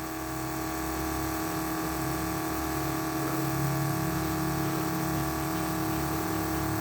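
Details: 1980 Trans Am nitrous fuel system: constant, even electric fuel pump hum and whir, no surging or pulsing, while the fuel pressure safety switch is adjusted to cut at 7 psi; it shut straight off without pulsating. Pump running normally.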